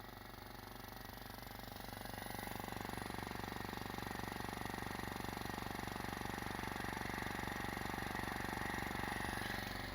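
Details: Scrapyard compressor, running after final fitting adapters: steady even hum with a smooth regular pulse of about two per second, no knocking or grinding; compressor runs cleanly.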